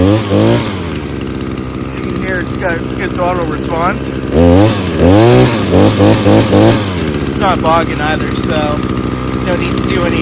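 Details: Echo SRM-225 two-stroke string trimmer after carburetor disassembly and cleaning. It idles evenly, then snaps up cleanly on each throttle blip with no bog or stumble. Normal running.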